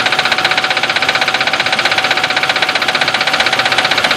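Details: 2002 Nissan Xterra, non-supercharged, idling after new plugs (Bosch double platinum), wires and serpentine belts: quick, even tapping about four a second; owner suspects wrong plugs or knock sensor.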